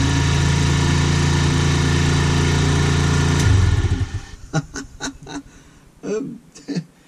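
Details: Peugeot V-Clic GY6 moped scooter, a non-runner with a loose starter motor: the small single ticks over at a steady even idle for a few seconds, then shuts off cleanly with no misfire or rattle.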